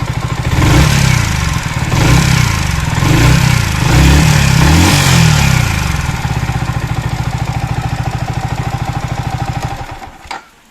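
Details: Yamaha R15 V3 single-cylinder engine revving then ticking idle with light metallic clatter; top-end noise, rocker arm bearing suspected, not confirmed.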